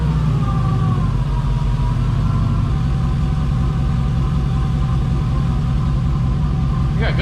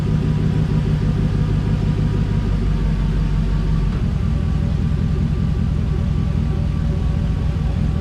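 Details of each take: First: 1988 Firebird with a swapped 5.3 LS V8 at idle with solid oil pressure, starting to warm: steady, even rumble. The earlier lifter tapping is gone, and the owner believes the lifter pumped up. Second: 1988 Firebird with a swapped 5.3 LS V8 at idle, about 181°, no load, after a stuck thermostat was freed; a lifter tap is suspected. Deep idle with a slightly uneven, loping beat; it may be missing slightly.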